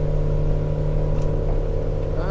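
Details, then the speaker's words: 2010 Arima Sea Ranger 19 with a Yamaha 90HP outboard, about 900 hours, cruising on plane at about 3,000 RPM and 22.8. Steady, even mid-rev drone with a smooth low hum and water rush. Normal healthy cruise. "We are right around RPM wise, about 3,000 RPMs, and we are pushing 22.8."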